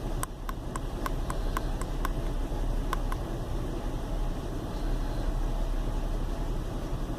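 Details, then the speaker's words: Chevy Venture warmed up about four to five minutes on a cool day, no check-engine light: low, uneven rumble at idle with a steady cabin drone and no knock; rough idle caused by a failed hydraulic motor mount, with no thunk when shifted into gear. "but you can probably hear it's got a kind of a rumble to it it's definitely not running too smooth"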